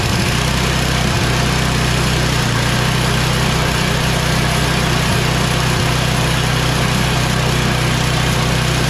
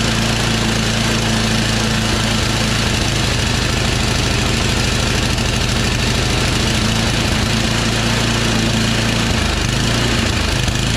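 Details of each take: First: Yard Machines MTD 24" 824 two-stage snow blower with an 8HP Tecumseh Snow King engine, after the carburetor and fuel line were replaced and the oil changed, primed and run on full choke and full throttle. Steady, even low chug with no misses or surging; runs healthy. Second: Yard Machines MTD 24" two-stage snow blower, 8 hp Tecumseh Snow King: it would not prime via the primer bulb, and fires only on sprayed starting fluid with an uneven, lumpy beat. A clogged primer hose or gunky carburetor primer jet is starving it of fuel.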